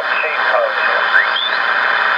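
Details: Kenwood TS-950S HF transceiver after repair of a bad solder joint that had left the receiver deaf, on 20 m with a wire antenna out the window: steady band hiss, sliding tuning whistles and faint sideband voices; receiver working normally.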